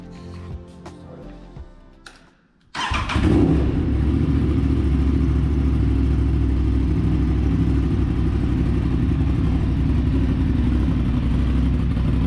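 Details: Aprilia RS 660 just after DNA air filter install: catches after a brief crank, settles into a strong even idle with crisp blips; runs cleanly, no misfire.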